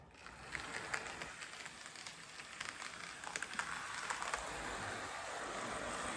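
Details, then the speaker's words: Model train SD40-2 budget locomotive after upgrade to a new cheap motor, old gears retained; quiet, even whir with light rail clicks circling the track, much smoother and quieter than before though gears still limit running and noise; normal smooth running. "much quieter and smoother so even though it's got a nice new motor in it it's still got the old gears so we are still a we bit Limited in the running and the noise but I think that's far nicer than it was"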